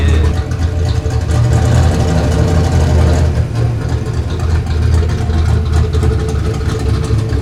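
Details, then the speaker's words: Ford Fox Body Mustang with newly finished turbo kit install, idling after alternator refit; no belt whine. Deep, steady, loud rumble with an even beat, no knocks, ticks or whistles: normal healthy idle. "The belt's not winding at me. I'm happy. And it sounds crazy. It sounds insane."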